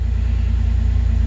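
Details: 2006 Jeep Wrangler TJ, 4.0 straight-six, nearly 238,000 miles, restarted after clearing the P0016 code following an oil pump drive and cam sensor replacement. Steady, even low rumble with a regular beat and no knocks or ticks. Normal idle.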